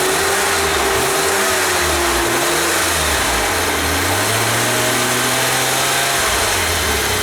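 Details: 1988 BMW E32 735iL, rebuilt M30 B35 straight-six, first start after rebuild, fuel pump primed: even, steady idle with a smooth unbroken note, no ticking or knocking; running healthy.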